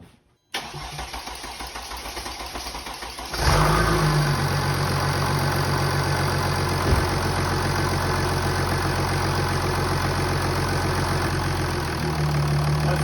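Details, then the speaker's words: Jeep with a Mercedes OM642 CRD diesel, first start after reassembly, with the MAF sensor unplugged and the airbox off: short crank, catches at once, then a smooth, even idle, much quieter than before, with no knocks or rattles; it is taking coolant. "much quieter it's taking coolant so that's good"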